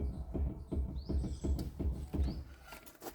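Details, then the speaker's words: Mahindra Scorpio lower ball joint, checked by rocking the wheel with both hands, camera on a stand below; dull low clunks about three per second in step with the rocking, showing play; ball joint worn and needs replacing soon. "ऐकला असेल तुम्ही बघा. असा आवाज येतोय जेव्हा ball जॉईंटला play येतं आणि बॉल जॉईंट जसं म्हणजे आपण समजायचं की तेव्हा ती खराब झालं आहे, त्यामध्ये प्ले आलं आहे."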